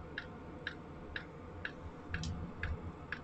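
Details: Chinese AliExpress Webasto-style diesel parking heater, thermometer reading around 50°C: sharp, even ticks about twice a second over a soft fan rumble; fuel dosing pump pulsing normally while heating.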